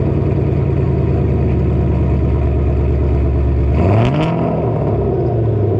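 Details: Ford GT500, about 700 wheel horsepower, newly catless exhaust with Kooks X pipe, first startup after reinstall: deep, loud, steady idle rumble with even beat, short rev blip around four seconds; V8 runs clean, normal idle.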